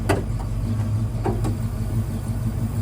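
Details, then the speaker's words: Trans Am after first start, breather sitting on sponges: low, steady V8 idle with an even beat and no knocks or ticks; idling with no real issues. "I know she's really just gonna kind of sit here and idle no real issues"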